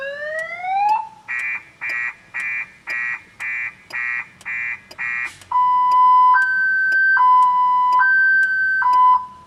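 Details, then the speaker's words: 2000 Chevrolet Impala that won't start: opening the glove compartment trips the alarm, a rising whoop, eight chirps about three a second, then a two-tone warble; content theft system fault suspected. "Yep. open the glove compartment, the alarm goes off. Seems like no matter what I do, the alarm goes off."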